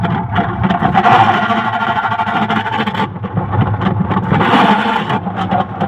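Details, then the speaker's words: Washing machine running very slowly before a gearbox replacement; a rough churning grind swells and fades with each agitator stroke, with weak motion, and the agitator also grinds when turned by hand. Worn gearbox grinding. "یہ دیکھا دوستوں اپ نے یہ اواز بھی کر رہی ہے اور زور بھی نہیں لگا رہی"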